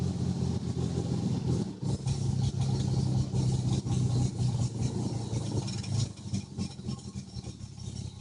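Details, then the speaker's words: Truck that surges in drive and revs up for no reason when stopped in reverse or neutral: the idle hangs high, then drops and stumbles with wavering revs before finally calming to a rough idle; cause unknown. "finally calm down to a rough idol"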